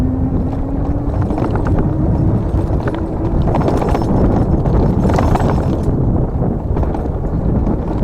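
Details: GOGOBEST GF 700 dual-motor electric mountain bike in mode 3 at 30 km/h: sharp, irregular clacking over heavy wind and tyre roar as the mudguards slap against the tyres.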